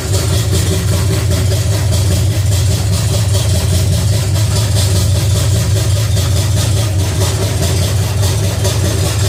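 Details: Pontiac 350 V8 in a 1950 Pontiac gasser with 6-speed, idling after the motor plugs were changed and idle screw adjusted: deep, steady, even low rumble, no misses or knocks; normal idle, runs better with a rigged coil wire.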